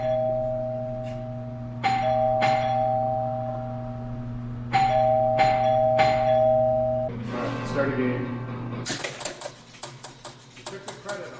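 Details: 1976 Stern Stampede electromechanical pinball machine, previously not working. After a game is started, chime strikes and relay clatter keep repeating and the reset never settles: the game keeps cycling, possibly because a switch is not making contact.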